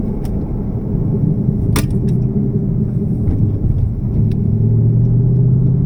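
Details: 2018 Mustang GT cold start after an oil change to Motorcraft 5W-30 synthetic blend: deep steady idle with faint irregular tapping, a rattle the owner suspects is piston slap; the oil change reportedly quieted it.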